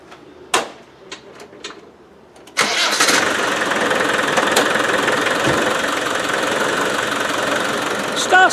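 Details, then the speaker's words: Land Rover 110 diesel catches after a few cranks into an uneven, hard-edged clatter at idle; knock heard while driving, owner suspects timing slightly advanced, cause unconfirmed. "now i could hear a knocking when i was driving it but i don't think it's coming from there"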